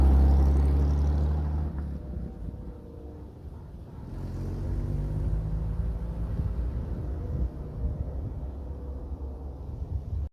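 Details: Unrestored 1969 Chevrolet Corvette C3, original V8, 66,000 miles, first start after sitting years, fuel system cleaned, new fuel filters, fresh fuel, new battery: catches and settles into lumpy uneven low rumble about four beats a second, finding its idle.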